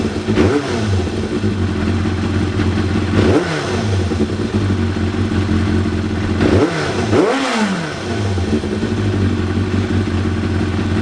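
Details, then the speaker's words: 1993 Yamaha YZF750R after new ignition coils fitted and plug caps seated properly to cure running on fewer than four cylinders: crisp throttle blips rise and fall cleanly from steady idle, all four cylinders firing evenly; running properly. "And yeah, I believe it's now running properly as it should, all four cylinders, and should now be ready for me just to put back together and enjoy the bike."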